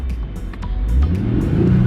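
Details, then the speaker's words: 2004 Bentley Continental GT with a 6-speed gearbox, full throttle with paddles: engine revs up slowly, flat and uneven, lacking pull. Runs poorly though the drivetrain is fine; cause unconfirmed, diagnostic scan planned. "the drivetrain is alright but that engine is just not not very good"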